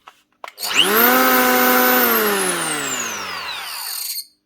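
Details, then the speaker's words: Festool EHL 65E planer from 2004, reported running rough: high whine sweeps smoothly down as the motor coasts to a stop, with a faint squeal near the end; squeal on run-down, bearings suspected, not confirmed. "Wee bit of a squeal at the end there. Yeah. Turns, but something squeaking."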